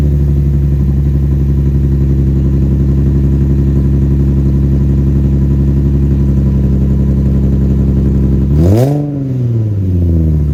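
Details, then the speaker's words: Infiniti G35 with newly installed AAM Competition 2.5-inch test pipes, cold start after sitting 4–5 hours: a deep idle with a buzzy, raspy edge, then a quick blip. Owner suspects an exhaust leak, still to be checked. "So that's how it sounds. It's a little bit raspy. It honestly sounds like there's an exhaust leak, so I'm gonna have to look at it and find out."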